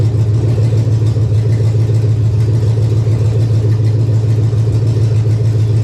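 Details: 1999 Chevy 5.3 V8 4WD junk donor pickup, engine started to test condition: steady, even low rumble with smooth beat, no knocks or ticks; running cleanly.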